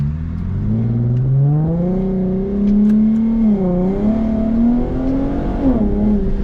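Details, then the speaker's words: Infiniti G37x coupe, VQ37 with 50,000-mile donor engine, subframe and front suspension swapped in, first drive: smooth engine note climbing and easing through gears, no misses, knocks or rattles; running healthy and no longer stuck in limp mode. "Anyways, she's running good. She sounds healthy. She's not mad at me and she's not stuck in limp mode no more."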